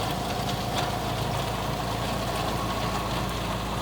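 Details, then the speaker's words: Boneyard car, cold start on a 20°F February day after sitting 4–6 months: even, steady idle with a smooth low hum, no misses or knocks; runs fine from cold. "Well, that's been sitting for at least 4, 5, maybe 6 months. Not too bad."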